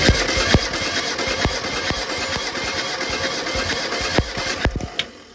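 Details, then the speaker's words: Mitsubishi Pajero 4G54 plugs-out compression test cranking: steady, even whirring about two beats a second, no lazy or skipping stroke; cylinder 1 at 120, others a little less but around the same, compression even. "It's a little bit less, but around the same as the other 3."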